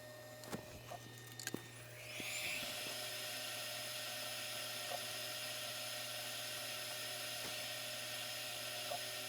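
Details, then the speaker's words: 3D printer enclosure air filter fan, switched on with the enclosure heated for ABS and the printer at 110C: quiet room, then spins up to a steady, even airy rush with no knocks. The filter pulls enclosure temperature down. Normal filter fan running. "so you can see after a couple of minutes of that filter running it's definitely pulling the temperature down so we need to compensate for that when we do our automation"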